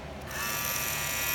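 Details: Wahl clipper with Wahl Premium red guards: the motor hums high and buzzy with a thin chattery rattle from a loose guard; the guard's metal clip needs more bending to hold it snug on the blade.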